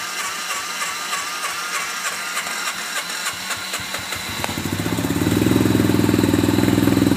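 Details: Hard-starting RZR, in low gear, with smoke coming from the back: several seconds of cranking before it fires, then it runs on a lumpy beat; cause of the hard starting not found.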